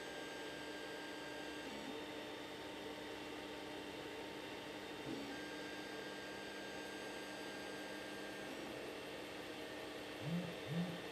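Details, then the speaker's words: 3D printer after fitting a NEMA17 stepper motor damper on the Y axis: a soft, steady hum with faint thin motor tones and a few gentle motion bumps, with no harsh buzz; the Y axis runs much quieter. "so you see on the wide that we've got certainly a much quieter y-axis and now we should do the X"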